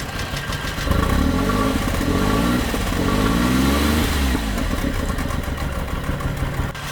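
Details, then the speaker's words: Flood-submerged Suzuki Cappuccino 3-cylinder turbo after tank cleaning: lumpy, stumbling running, about four pulses a second, never settles, only two cylinders firing; misfire blamed on a stuck fuel injector. "nếu bạn thính tai thì bạn nghe nói rằng nó bắt đầu chạy bằng hai xi-lanh"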